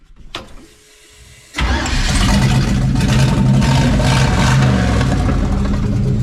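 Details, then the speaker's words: LS V8 in mud truck after blown engine, stock harness, injectors cleaned with brake clean and WD40: starts and settles into loud idle with slightly uneven beat, one cylinder still hiccuping; misfire at idle, hoped to clear out. "I think we still got one hicking up here a little bit but it'll run enough for it to hopefully clear out"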